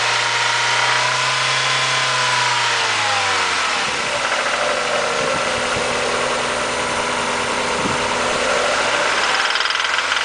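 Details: Mazda Miata petrol engine revving then dropping back, with a rough uneven rod knock running under the engine note.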